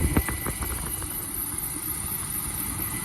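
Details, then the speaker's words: 2004 Chevy Blazer idling: quick squeaky chirps and a thin high squeal from the front of the engine, a worn serpentine belt, checked with a water spray; idler pulley, alternator, AC compressor or tensioner could also cause it. "so you guys can hear this squealing noise the squeaking noise coming from the"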